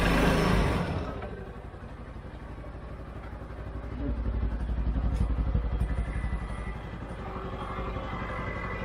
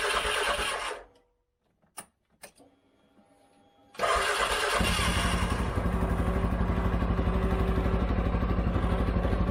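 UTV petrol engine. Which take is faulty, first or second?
second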